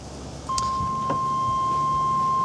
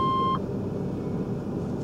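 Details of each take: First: Chevrolet S10 pickup before EV conversion, cab interior: steady high unbroken electronic tone comes on abruptly; door-open warning chime, nothing actually wrong. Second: Chevrolet S10 pickup before EV conversion, starting the gas engine for a drive (fuel gauge not working): one mid-pitched beep as engine settles into low idle rumble; warning chime cause unknown.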